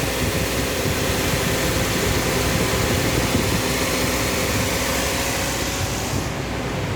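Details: Toyota Vios Gen 2 idling: steady idle with even fan and compressor hum and no grinding or rattle; the AC compressor sounds healthy.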